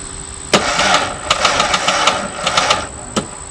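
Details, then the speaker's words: 1994 Ford Ranger, 5-speed, bought cheap and beat up, first turn-over with dirty battery connections: sharp irregular metallic clatter over the starter's whir while cranking; harsh, terrifying-sounding mechanical noise on cranking, cause not found. "like terribly bad I've never heard one sound like this that sounds terrifying that sounds freaking terrifying"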